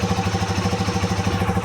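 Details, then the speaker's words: Modenas Z15GT motorcycle, 11,000 km, after a new battery replaced the factory one that died at 7 months and left it unable to start for two days: the small single starts and thumps at a steady, even idle with no misses. Normal idle. "Boleh start dah bateri. Motor masih hidup. Motor masih hidup."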